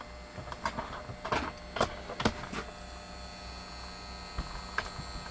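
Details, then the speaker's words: 1947 Chevrolet car valve radio: thin steady electrical buzz with clicks and taps, hashy after restart, sluggish to start; the old mechanical vibrator is failing, replacement with solid-state unit suggested. "you can hear it buzzing away i'll shut it off turn it back on and it's real hashy now oh cleaned up yeah that vibrator's on its last legs"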